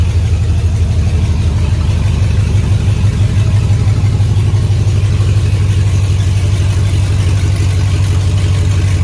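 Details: 2003 GMC Yukon Denali 6.0L LS V8, destined for a Chevy K20 swap, with no exhaust: deep, loud, throaty burble with steady lope and a slight rise in revs; healthy and strong.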